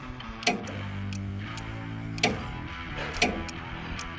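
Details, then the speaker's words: Troy-Bilt Mustang 50 zero-turn mower with two-cylinder Kohler engine, seat switch bypassed for testing: after tracing a faulty wire that left the PTO without 12 volts, the electric PTO clutch now gets power and engages with sharp, irregular clicks over music. "that click, not only is this clicking because it's getting power, you can hear that's the electric clutch, the PTO actuating."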